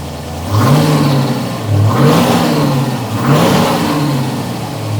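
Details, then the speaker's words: TVR Griffith 500 V8 on first start after extensive work, with new HT leads and coolant being topped up: three clean throttle blips rising and falling smoothly with an even beat, no knocks or misfire; healthy engine. "Oh, what a lovely, lovely noise."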